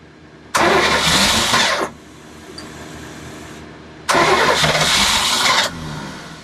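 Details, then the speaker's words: Boat's Crusader 454 port engine: two cranking bursts of about a second and a half each, starter spinning evenly but never firing; new Carter fuel pump not working due to a manufacturer defect. "What happened with the boat was that the fuel pump was not working. It was the first thing we changed."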